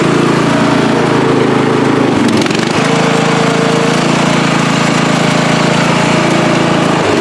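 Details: Free riding mower, tank previously drained, running after flood-prone start attempts with fuel clamped off to stop flooding: steady, even drone with one brief dip that recovers; holds speed cleanly, running properly.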